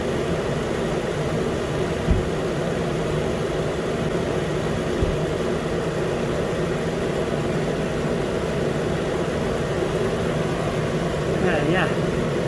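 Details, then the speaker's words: 2013 Nissan Pathfinder, 265k miles, after new AC clutch and serpentine belt; compressor running as cabin is hot: steady even idle with soft constant compressor hum, no chirp or rattle; healthy. "the compressor is gonna rotate for a while because the car inside is pretty hot so it's not gonna stop the clutch or not"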